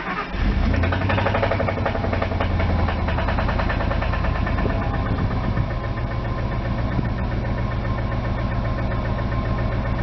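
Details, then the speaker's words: 1999 Ford F250 Light Duty with a 5.4 V8 cranks, catches and idles with a loud, heavy knock; the owner suspects rod knock but says it could be other issues, such as the timing chain. "it does have a knock and i'll start up so you guys can hear it it's it's pretty bad"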